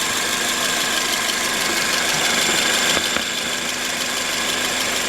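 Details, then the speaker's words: 2006 Toyota Corolla, 16-valve, at idle: light, fairly regular ticking about three per second over a smooth idle; the source is unknown and the owner wonders about the belts, recently replaced, the intake or the exhaust. "I'm getting this weird noise, and I don't know where it's coming from."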